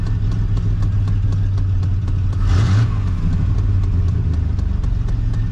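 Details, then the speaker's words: 1993 Chevy Silverado 4.3 V6 automatic 2WD, which had an erratic idle and died on cold start, after replacing fuel pressure regulator (GP Sorensen 88-225); smooth even idle with one brief blip, settling back steady without hunting; normal idle. "so that's it guys idling no problem before we're searching we want it to die every single time"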